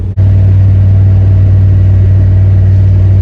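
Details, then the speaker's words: 1989 Chevy Silverado towing a 1951 Ford pickup from North Dakota, nearly to Wisconsin; no power, deep steady drone with no rise in pitch at full throttle, lugging. Owner suspects a slowly dying fuel pump. "Well, I'm almost to Wisconsin, and this thing's running horribly. Horribly. I got no power. I think the fuel pump's just slowly dying on it."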